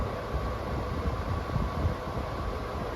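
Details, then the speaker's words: RV-mounted window air conditioner running in high cooling mode: a steady low rumble with even rushing airflow and no knocks or rattles, fairly noisy like most window shakers. Normal running. "So, like most window shakers, it is fairly noisy."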